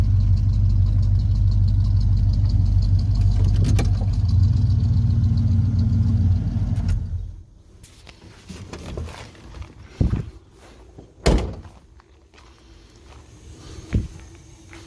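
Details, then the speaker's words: 1992 Ford F-150 started after power washing a very muddy engine bay, check engine light already on beforehand: steady low even idle for a few seconds, then quiet with scattered knocks; seems to run fine. "so let's start it see if everything starts fine check engine light was on before so I don't think that's a problem"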